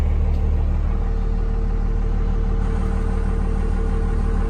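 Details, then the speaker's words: Dodge 2nd-gen Cummins diesel truck idling in the cab before its first test drive, not yet up to temperature, with the gauges dead. Steady, deep, fast, even diesel rumble. A healthy normal cold idle. "And those gauges are dead, but we'll let this thing idle up for a minute."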